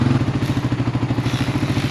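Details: Suzuki DR350SE after a new AGM battery install, fresh gas: even, steady thumping at about thirteen beats a second with no misses, knocks or rattles; the single is idling healthily.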